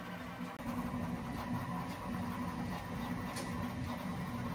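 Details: Prusa Core One 3D printer printing a Benchy on stock feet, no mod: steady low hum with buzzy resonance, frame vibration transmitted through the original feet.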